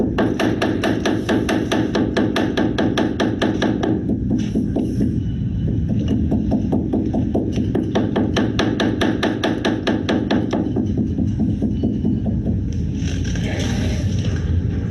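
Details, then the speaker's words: Steinway piano key frame on key bed, key block screw being turned in: quick hollow wooden knocks a bit over two a second that stop only as the screw finishes its last half turn; front rail bedding contact being adjusted. "so you can see that that that contact is really quite minimal it really only stops knocking right as the screw finishes turning in all the way"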